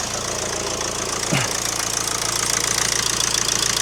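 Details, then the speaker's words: Mk1 2009 Ford Transit Connect diesel after alternator replacement: even clatter at steady idle with no misses, knocks or rattles, running smoothly; battery reads 14 volts, so it is charging. The engine has unrelated oil issues. "All looks to be running very smoothly. I have got oil issues to deal with, but they're not related to the alternator. So I'm very happy with that."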